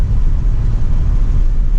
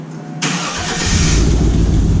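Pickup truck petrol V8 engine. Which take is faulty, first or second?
second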